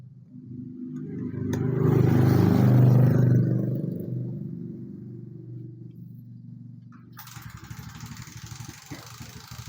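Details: Suzuki motorcycle with an aftermarket, non-original regulator/rectifier: it starts, but the engine swells briefly on throttle then sags back to a lumpy ticking idle instead of revving. The bad regulator starves the ignition.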